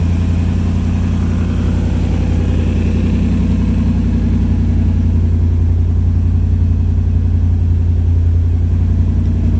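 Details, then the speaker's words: 1951 International rat rod with a Toyota 4Runner cab, just started after rewiring. A smooth, steady low idle with an even beat and no knocking or ticking: a normal, healthy idle. "I can't believe she's alive. And it's running good too."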